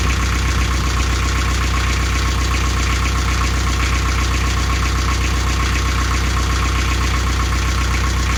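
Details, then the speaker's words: Canaline 42 narrowboat diesel after full service (engine oil and filter, gearbox oil, air filter, belts checked): steady, even idle clatter with constant beat, no misses or odd knocks; owner says engine is fine and sounds happy; normal idle. "e over this bin, the engine's fine, everything looks happy, sounds happy, and I think it's time to go in for a well-earned brew."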